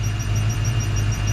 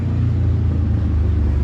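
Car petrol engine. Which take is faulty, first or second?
second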